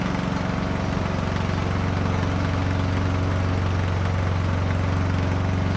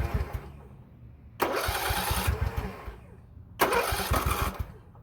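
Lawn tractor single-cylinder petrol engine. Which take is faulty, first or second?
second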